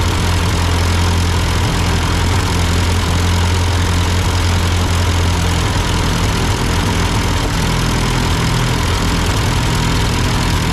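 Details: Ford 8N tractor idling after an amateur carburetor adjustment. Uphill sputtering had been traced to a cheap Chinese replacement carb; an old Marvel-Schebler ran fine. Steady, even low rumble with no misses or stumbles; a smooth, normal idle.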